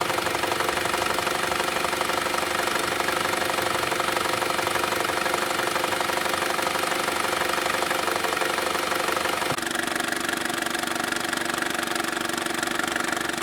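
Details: Saab 9-3 SS at idle: a steady tapping about four times a second rides over the engine, unchanged throughout. Unexplained knock-like noise.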